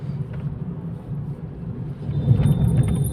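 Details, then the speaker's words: Car with underbody noise after prior suspension work, steering rack repaired and alignment done, road test on rough road: only a steady low road rumble, no knocks, clunks or rattles; noise gone, steering and suspension quiet. "मजा सा आ गया आवाज तो कुछ लगी नहीं इस time चलाएंगे रफ रोड प यह है रास्ता खराब"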